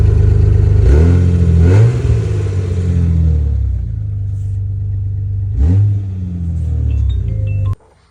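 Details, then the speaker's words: 2004 Jeep WJ (Grand Cherokee) running with loud, deep exhaust rumble swelling with each rev; muffler rusted through with a big hole leaking exhaust, tail pipe dangling and rattling; before muffler replacement. "Here you can see the old one pretty much just rusted away. that big old hole where the exhaust is just coming out, making a bunch of noise."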